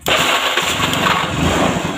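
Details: Older carbureted Honda Beat with a hard-to-start electric starter, good battery, starter fault fixed: brief starter whir catches at once and settles into a steady, even idle; electric start now working normally.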